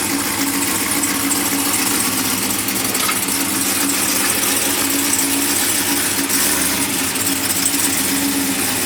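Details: Brand-new supercharged GM LT4 V8 with CVF pulley kit, swapped into a 1971 Chevy Chevelle convertible with new exhaust: an even, throaty idle with steady rumble and supercharger hiss, no ticks or misfires. Normal, healthy idle.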